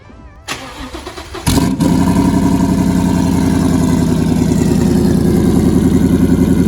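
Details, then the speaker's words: Turbocharged Mustang GT with a stock motor (about 650 whp on 10 psi) after blowing up: it cranks, catches and runs a lumpy, pulsing idle. Oil is found on the cylinder 7 and 8 plugs, and cylinder 8 is suspected gone. "why is it burning oil though cylinder 8's got to be gone"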